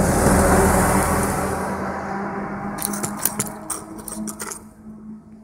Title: Roulement de roue voiture cassé Hors service